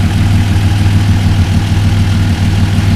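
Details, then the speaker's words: Mk1 VW Caddy V6 4motion conversion, first start with 3.5-inch straight pipe and silencer, no coolant fitted: deep, steady low burble at idle with even beat, no knocks or misses; normal smooth idle. "well all sounds very civilized once I was expecting to be consumed or outer because it's a three and a half inch straight pipe put a silencer on it but that sound quite nice I must admit"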